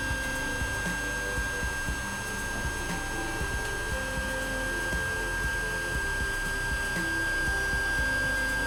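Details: Creality Ender 5 on its original stock mainboard, printing during a decibel test before fitting the silent 1.1.5 board: constant high thin whine over busy buzzing and chatter as the printer moves, stepper motor whine from the stock mainboard drivers.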